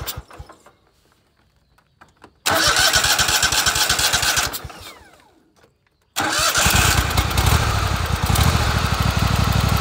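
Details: Kohler Command 25 V-twin small engine cranks, catches and runs smoothly with a rhythmic chuffing puff at the right cylinder, with a burnt plug on that cylinder and power loss; blown head gasket.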